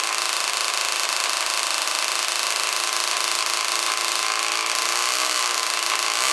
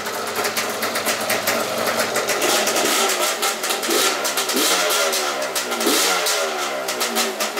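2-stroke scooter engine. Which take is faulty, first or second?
first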